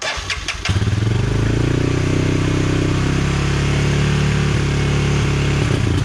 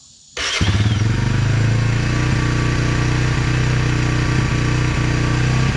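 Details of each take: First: 1999 Honda TRX 300FW ATV after sitting for years with bad gas, first start after carburetor cleaning, on choke: single catches and runs with a wavering, stumbling beat that won't settle into an even idle, still rough. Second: 1999 Honda TRX 300FW ATV after sitting for years with bad gas, carburetor cleaned and reassembled: catches at once and settles into a steady single-cylinder putter with no grinding or misses, a clean start and healthy idle.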